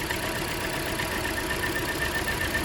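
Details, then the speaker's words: Idle with a faint uneven stumble under a thin whistle; pulling the coil plugs shows one cylinder dropping out, and the misfire is traced to a bad ignition coil that needs replacing. "all right so she needs an ignition coil to take care of her misfire problem"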